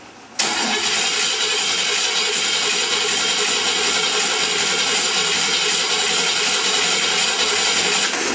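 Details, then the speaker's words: Oldsmobile Rocket engine on a stand, coil wire disconnected, no fuel hooked up: the starter spins it at an even, unbroken rhythm for about eight seconds with no catching or binding; it cranks freely without firing. "okay crank's fine and uh give me a minute we'll hook up the gasoline to it"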